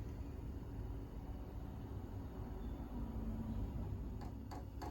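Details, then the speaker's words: Chinese diesel air heater newly installed in a Ford Transit Jumbo camper, first start-up: low steady fan rumble with a faint hum, then a few sharp ticks near the end as the fuel pump kicks in; running normally. "There we go. Pump's kicking off. There are some videos on YouTube of people trying to make these quieter."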